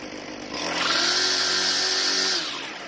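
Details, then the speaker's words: Craftsman two-stroke string trimmer after replacing broken fuel lines: a quick rev from idle to a high, steady scream held about two seconds, then a clean drop back. It runs strong and even; only the idle speed may need adjusting. "luckily it seems to be running very well so i'm not going to make any adjustments at least until i do another start after it cools down"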